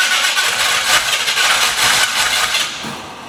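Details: 1968 Ford Mustang, fairly fresh battery, timing retarded a little; churns and sputters, trying to catch but never running; no-start later traced to low ignition coil voltage.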